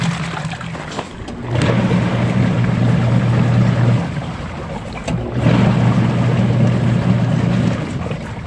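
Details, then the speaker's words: Old Sharp single-tub washing machine, nearly discarded, revived after opening drain and cleaning rubber, motor found still good, timer turned on: steady low motor hum in long bursts with water sloshing between even pauses; normal agitation. "Ayan guys, so ayan, napagana ko na yung muntik ng itapon na washing machine. So old washing machine na single tab po yan."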